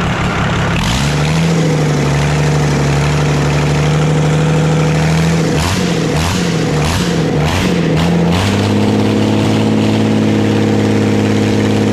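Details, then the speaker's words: Old Dodge 12-valve Cummins diesel, just started with ether while smoke came from the starter: it runs with a rough low growl and irregular chatter over the idle, pitch shifting with revs. Owner calls it an unfavorable internal noise; the cause is unknown. "there is some kind of an unfavorable growl probably a real bad noise I don't know what the [ __ ] it is that's chattered around in there"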